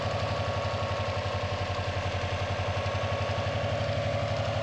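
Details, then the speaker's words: Non-AVCS JDM Subaru EJ205 boxer idling after timing belt and water pump replacement: light clatter about four ticks a second over the idle, much quieter than the original loud metallic ticking; source inconclusive, unconfirmed. "Inconclusive. Unless anyone in chat is familiar. I mean, it's just so much quieter than what it was when I first started."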